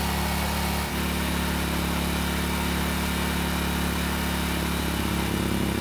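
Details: Generac generator, long stored and revived by carburetor work, steady even drone with constant low hum on a light load (small space heater), no hunting or misfire; light-load check shows it is running healthy.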